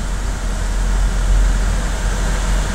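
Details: GM 2.4 Ecotec at 103,000 miles, its timing chain skipped three links without bending valves, oil topped up, AC on: fires right up into a deep, even idle rumble with no ticking or chain rattle. Runs smoothly.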